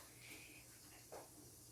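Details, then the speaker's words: Freshly pressure-canned vegetable beef soup jars (quarts and pints) just opened from a canner at 0 gauge pressure: soft short hisses in a quiet room as jars, not yet sealed, still release pressure; normal venting before sealing, nothing wrong. "Oh, and I hear it. I hear some of the, because they're not sealed yet. They're still releasing pressure."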